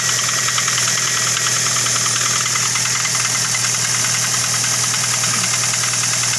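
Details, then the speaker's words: Toyota Avanza idling with a harsh, fast, uneven metallic rattle from the front of the engine; diagnosed as a worn timing chain that needs replacing, with the timing cover to be opened. "yo yah ene Avanza suaranya kasar harus ganti timing chain ya"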